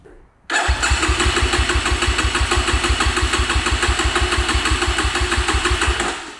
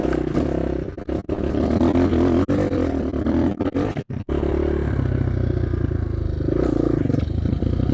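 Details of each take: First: Cheap Amazon 250cc dirt bike, unused in storage for 5 years, no choke found: after five failed kickstarts, silence, then the single abruptly catches and settles into a steady, fairly even thump; hard starting. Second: Cheap Amazon 250cc single-cylinder dirt bike runs much better, thumping evenly and picking up cleanly when blipped; popping heard is an audio fault, not the engine; idle jet 40, could drop to 38.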